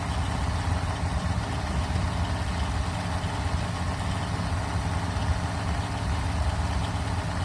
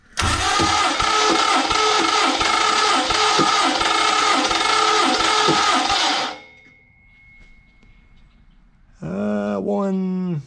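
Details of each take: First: Freshly built 1974 Mopar 400 big block (stock stroke and crank) on a run stand during first start and break-in: deep steady even drone at fast idle with no knocks or misses; fresh engine running smoothly. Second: 1974 Mopar 400 big block on engine stand, fuel and water pumps off, cranking compression test, rings possibly not seated: steady cranking, about four compression beats a second under harsh gritty whir; owner says starter and flywheel sound rough.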